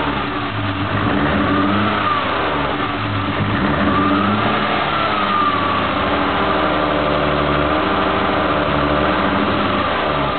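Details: BMW M3 petrol engine idling unevenly with an irregular stumbling misfire, lifting briefly when revved.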